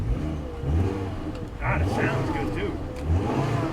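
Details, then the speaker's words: Toyota Corolla, salvage auction car with airbag damage, engine revving: picks up cleanly on each blip and drops back smoothly, no knocks, rattles or misses; sounds great, no check engine light, only low tire and airbag lights. "It does. It sounds great."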